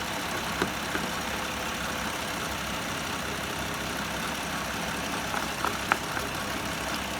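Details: BMW 535i after water pump replacement and coolant refill, idling after about five minutes as coolant bubbling settles: steady even idle with light mechanical hiss and a few faint clicks, no misfire or knock; engine sounds healthy.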